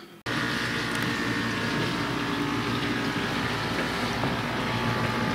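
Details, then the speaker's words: Kenmore Ultra Wash dishwasher from about 2006–2008: loud constant rough grinding under the wash hum; owner suspects something hard like glass, plastic or a fruit pit caught in the food grinder wheel. "sound terrible but it does sound like there's something caught in it I think it's the grinding wheel that's used to grind up food and there's something caught in there that's hard like a piece of glass a piece of plastic or maybe an olive pit or a lemon pit or something"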